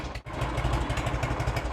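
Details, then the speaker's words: 1986 Harley-Davidson Heritage Softail (first year), 29,000 original miles, first start after 10+ years stored: lumpy, loping, even V-twin idle, no knocks or rattles; healthy warm idle, no leaks. "let's see what we get now on killer oh that's a good sound right there sure there's no leaks"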